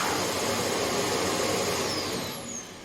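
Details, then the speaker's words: Hoover HL500PT vacuum after fix: steady motor roar with brush roll whirring evenly before winding down; brush roll and vacuum running normally. "so that shows it's working it's good to go"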